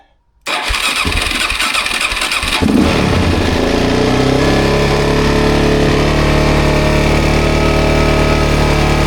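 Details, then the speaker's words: 2007 Suzuki DRZ400S, 11,000 miles, cold start on choke after carb cleaning: catches after a few seconds of cranking, then settles into an even, steady single-cylinder idle; normal, pretty good idle. "Heat up here. Seems like a pretty good idle, right?"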